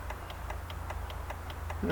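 Steady, fast clicking, about five per second, and the engine never turns over: a relay chattering on a no-crank.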